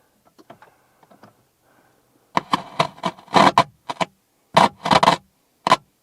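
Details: Abandoned 1984 Volvo 240, parked since about 2012, fresh battery: after a quiet spell, short bursts of rapid clicking come and go, engine never turns over; starter clicks without cranking, cause suspected not confirmed.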